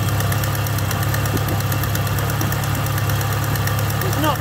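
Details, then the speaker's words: Ford Capri with 2.0 L Pinto engine and Ashley four-branch manifold, choke off, idling: quick, even puffing tick over the engine beat from a blowing exhaust manifold gasket at number four cylinder. "number four that's chuffing down here so I might just start it up so you can [Applause] hear knock the choke off [Music]"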